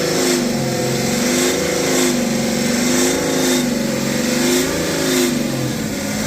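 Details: BMW X5 40d (N57) revved repeatedly, with a droning, resonating boom that swells around 3,000 rpm; the noise was present under the previous owner, no fault codes, and heat shields found tight. Resonance of unknown origin.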